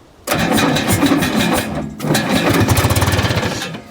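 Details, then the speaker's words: Michigan 55A loader's Detroit Diesel 3-53, abandoned 14 years and seized by water in the cylinders, just rebuilt, no fuel yet: slow starter cranking with uneven chuffs as if firing; they suspect oil or junk in cylinders. "sounds like it's trying to fire almost oh there's stuff in it yeah I'm gonna be trying to fight oh there might just be junk in it"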